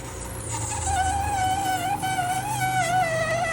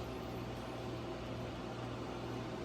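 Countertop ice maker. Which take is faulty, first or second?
first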